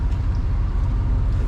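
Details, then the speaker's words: 1996 Cadillac Seville Northstar with 59,000 miles and front-end damage: a steady low idle rumble with a slightly lumpy, uneven beat and hissing from the airbox. Owner attributes the mild idle misfire to the airbox; cause not confirmed. "you can hear you can hear the little misfire because of that airbox thing."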